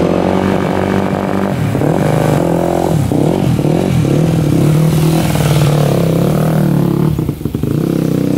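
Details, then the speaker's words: Rebuilt 2001 Yamaha WR250F dirt bike bump-started after failed kicking: fires and revs unevenly, then falters and dies; owner thinks jetting slightly lean and suspects rebuilt valves not seating, as it won't restart after shutoff even with hot start. "all right we were able to bump start it and it sounded pretty decent um I think the jetting might be a little bit off it almost sounds like it's a little bit lean to me"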